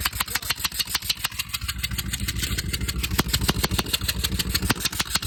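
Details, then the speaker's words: Ford Triton engine, driver reported a noise from the engine; sharp fast regular ticking about three per second over steady idle, exhaust leak suspected but source not confirmed; what appears to be a coil spring was spotted. "driver said there's a noise coming from the engine so we got to figure out what it is"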